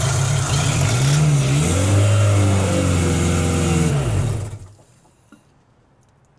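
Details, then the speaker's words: 1990s Genie Z45-25 man lift engine on propane, second start attempt, MAP/intake air temp sensor pipe found missing; catches and revs unevenly about four seconds, pitch surging, then dies abruptly; engine revs then stalls. "That sounded good, Frank. Yeah? Yeah, it was doing revvy things. It was doing a revvy revving thing. Why does it cut off like that?"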